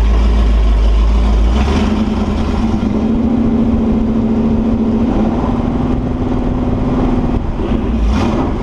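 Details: Holden 355 stroker V8 for an HQ Holden on a test stand (Sig Erson TQ30 cam, flat tops, HEI, Edelbrock carb, Aeroflow single-plane manifold, 9.5:1 compression): loud, smooth, even idle with no knocks or ticks; no leaks, sounds healthy.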